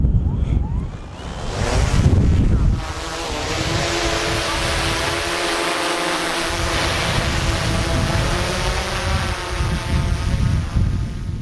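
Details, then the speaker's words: DJI Air 3 drone hand-launched using the automatic takeoff sequence: under heavy wind rush, rotor hum rises to a steady tone and holds evenly as it lifts and hovers; normal takeoff and hover. "und ihr seht das hat schon relativ gut funktioniert sobald die Rotoren drehen Willer Kop ja nach oben"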